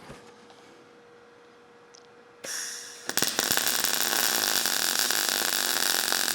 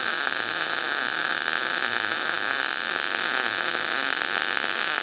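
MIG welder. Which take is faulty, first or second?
first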